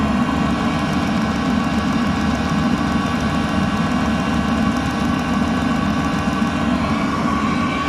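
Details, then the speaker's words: Eberspächer Airtronic D4R heater after service, earlier locked after five failed starts from fuel, running about 10 minutes, recorded close to the pump: smooth quiet hum and airy whoosh, no rattles or surging; normal running. "I don't know if you can hear it, but this is how silent it is once it's working properly."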